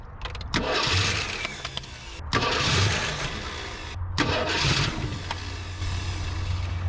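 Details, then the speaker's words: 1974 AMC Hornet abandoned 31 years, after the starter bolts and cable were tightened and the battery hooked up: strong, quick, even cranking in repeated bursts. It does not catch, later found with the coil wire disconnected. "Oh, there she goes. She's really cranking now."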